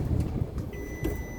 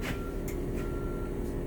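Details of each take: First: Bus just started: constant high-pitched beep over a low diesel rumble, the low air pressure warning, which stops once the compressor builds pressure. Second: Bus with engine idling, service brake held, transmission shifted from neutral to reverse during a transmission cycle check: thin mid-pitched backup buzzer beeps in short pulses over a low steady diesel idle; reverse alarm working normally.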